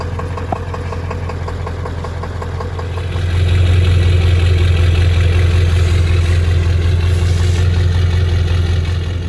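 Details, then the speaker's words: Cold start of a Ford F250 7.3L Powerstroke diesel: clatters at idle, then rises to fast idle with a slight stumble in an even beat; small idle misfire. "All right, so let's see how she does. Cold start, baby. Little baby miss, but that'll do."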